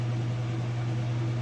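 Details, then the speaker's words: Whirlpool (Inglis) top-load washer at about full spin speed: steady low hum with no thumping or wobble; balanced, smooth, healthy spin. "you can see right now that it's nice and smooth it sounds great balanced"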